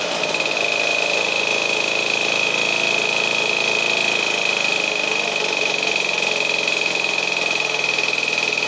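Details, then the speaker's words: 1952 military DC generator running with adjustable voltage output, ammeter stuck near 9 A (possibly damaged by miswiring): fast, busy buzzing beat with a steady high whine at constant pitch; normal running. "decrease and the engine's going to pick up speed or decrease not pickup speed is it'll slow down as we lower the voltage"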